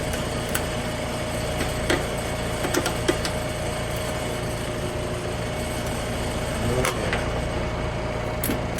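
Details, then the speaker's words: Trane air conditioner on a hot day: fan rush with faint electrical hum and momentary buzz but no compressor running; compressor not starting due to failed capacitor. "I heard that momentary death buzz a couple of times. Yep. Momentary death buzz."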